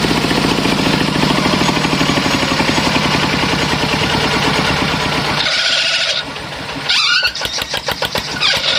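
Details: Kubota single-cylinder diesel just rebuilt, homemade open racing exhaust with internal baffles drilled through: loud, sharp, evenly spaced exhaust barks, running steadily then easing off; healthy engine with open exhaust.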